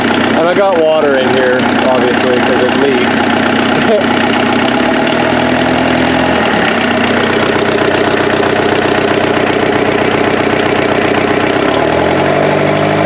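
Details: Freshened-up turbo diesel engine in an offroad Mazda truck idling after getting it running: a steady, even, loud clatter with no misses or knocks. Much smoother than the previous engine and not smoking; normal idle.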